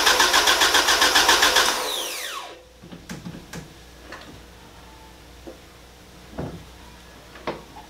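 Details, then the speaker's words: Rebuilt Mazda BP 2.0 after re-rebuild, cranked with ECU unplugged to build oil pressure before first start: even steady cranking near four beats a second, no firing, then spins down; normal, oil pressure confirmed. "So water, and then gonna crank it over to try and build some oil pressure."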